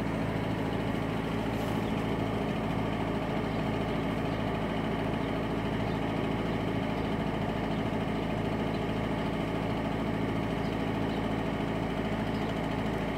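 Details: 2001 Peugeot 406 HDI diesel that stalled after minutes, after repairing two leaking injectors: steady idle, fairly even clatter, faint uneven firing beat; engine light on, fuel pressure fault stored, later traced to failed injection pump regulator valve; rough diesel idle.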